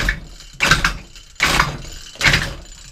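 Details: Efco strimmer engine that had been running very lean, spark plug cleaned: four harsh rasping pulls about 0.8 s apart with a gritty scrape and no firing. Sounds like metal debris scoring the cylinder.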